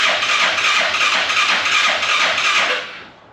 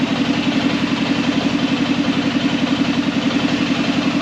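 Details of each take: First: Arctic Cat Prowler UTV carbureted engine after rebuild with new pots, oil checked, first start attempt: fast, even cranking whir with no firing, then winds down; cranks but won't start, no fuel reaching carb. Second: Arctic Cat Prowler engine just rebuilt with new pots (cylinders), first start after priming the carb: steady low idle with a smooth, unbroken pulse rhythm, no rattles or stumbling; healthy, though air in the system still needs bleeding.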